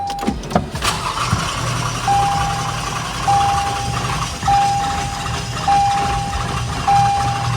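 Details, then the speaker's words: 2019 Lexus RX350: starter cranks evenly with a repeating warning chime but the engine never catches; even cranking suggests a fuel problem; crank, no start. "okay the way the car is cranking it seems to be like a full problem cu the crank is even"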